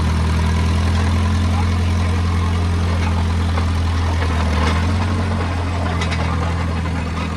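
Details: Oliver Cletrac OC3 crawler warming up at idle outside after a manifold gasket change: a steady, even low thrum with no knocks or misses and barely any smoke. Normal idle.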